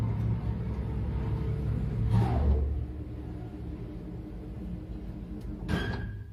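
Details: Elevator after its guide shoe liners were replaced to cure knocking and the guides were oiled; a smooth low rumble as the car travels with no knocking and only a couple of brief swishes, the guides running quietly.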